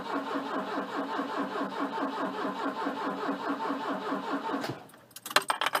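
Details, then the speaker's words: Volvo 242T that won't start; battery 11.9 V, 14° ignition advance, 10.7 injector pulse width; starter churns the engine steadily for several seconds but it never catches, then key clicks; fuel pump relay heard clicking; crank no start. "i can hear the fuel pump relay clicking clearly firing the injectors"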